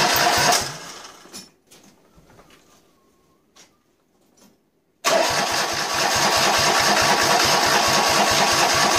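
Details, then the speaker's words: Citroën Dyane with a 2CV flat-twin engine just installed, first startup before the exhaust and fan are refitted: fires right up into a crisp, even, rapid open-pipe beat. Normal idle, sounding quite good. "and runs, and sounded quite good actually for the first startup at least."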